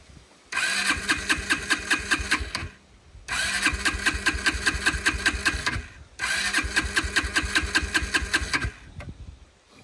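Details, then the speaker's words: Kawasaki Brute Force 300 ATV: three long bursts of even cranking, about two and a half turns a second, no firing; won't start or idle, dirty carburetor suspected, cleaned next. "we'll try to start it now and you'll see what it sounds like it won't just won't"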